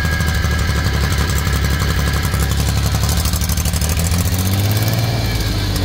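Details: F6A three-cylinder running loud and rough at the exhaust, a coarse uneven rasp riding on the beat as it revs; abnormal exhaust noise, source not yet found, owner setting out to locate and fix it.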